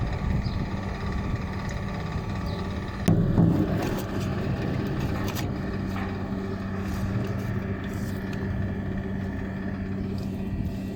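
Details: Water cooler fan motor with a bad bearing: a steady, rough, low humming drone while running.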